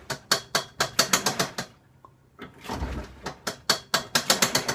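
Fast, uneven bursts of dry clicking, roughly four a second, broken by a short pause. A mechanical clatter from the washer, cause unclear.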